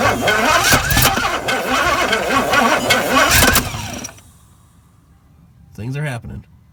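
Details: 1972 Pontiac LeMans, 350 Pontiac engine with TH400, sat over a decade in bushes, starter solenoid jumped with a power probe: slow labored cranking about four seconds, no start; starter weak.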